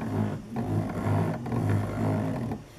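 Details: CNC mini mill axis cranked by hand with Mach3 running but mill power off: an uneven, growling hum that rises and falls. This is the normal cogging of unpowered stepper motors, often mistaken for binding or grinding.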